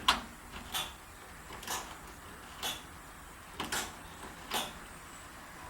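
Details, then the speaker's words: VW Beetle ignition switch, reinstalled and rewired after being opened and repaired: six sharp light clicks about a second apart over quiet background as the switch clicks on and off. "that No beside the train the ignition okay it's clicking on and off"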